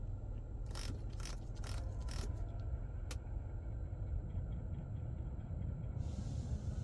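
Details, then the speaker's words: 2024–2025 Nissan Rogue changing AC temperature: a handful of faint sharp ticks over low cabin rumble; normal climate actuator operation, also heard on other 2024–2025 models. "very faint like I said hopefully you guys can hear that but that's normal unfortunately"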